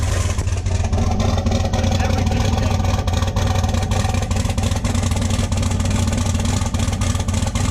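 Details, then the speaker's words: Duramax diesel idling at about 1,000 rpm with low vacuum: heavy, lumpy, uneven pulsing idle, shaking badly; owner suspects an electrical rather than mechanical issue affecting only one side. "And it is idling good. It's idling at like 1,000. So it's idling at 1,000 RPM. See how much it's shaking?"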